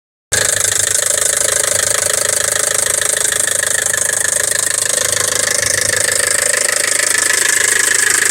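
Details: 2007 Kia Carens 2.0 DOHC petrol four-cylinder at idle: a quick, fairly even tick at about two per second rides steadily over the idle; something in the engine is ticking, cause unknown.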